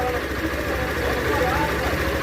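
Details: Motorcycle engine after rebuild, following a blown clutch bearing: steady, even low putter at idle with no knocking or rattle; bottom end sounds healthy, normal idle.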